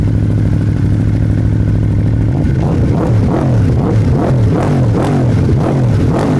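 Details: Aprilia RSV4 with Akrapovic exhaust, first start since adjusting the valves (9 out of spec, now within tolerance): catches fast, much quicker than before, settling into a lumpy, throaty idle with throttle blips; starts cleanly and runs healthy.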